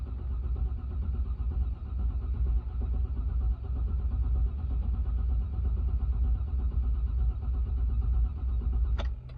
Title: 2002 GMC Yukon (crank but no start)